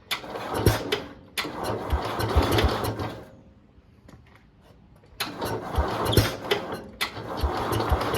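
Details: 1971 International Harvester Cub Cadet 126 single-cylinder engine, revived after seemingly sitting for decades, with the battery charged, the fuel lines reworked and the choke off: it runs unevenly with irregular chuffing and a lull; the carburetor may need tuning.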